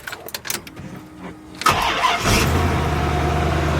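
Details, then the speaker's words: Corvette just after the exhaust was reconnected and repaired: some clicks, then the starter cranks and the engine catches at about 1.7 seconds and settles into a steady, even idle with no exhaust blowing or ticking. Much quieter than before the repair. "so much quieter [Applause] so much quieter than it was"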